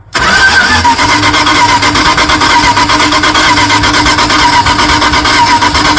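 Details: 1978 Dodge D150 with 318 LA V8, long unrun trade truck, first start attempt, fuel squirted in: uneven cranking with ragged irregular firing that never settles into a run; suspected distributor 180 degrees out; cranking, fails to start.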